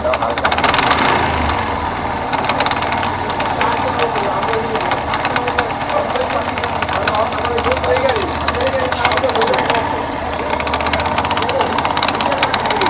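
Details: Yamaha FZS V2 single at idle: rapid sharp ticking rides over a busy idle throughout; engine knock, cause unclear.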